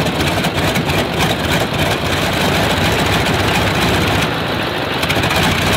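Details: Stinson L-1 radial engine with duplex magneto gives a loud, deep beat pulsing unevenly, about three a second; dead magneto, running on one ignition side.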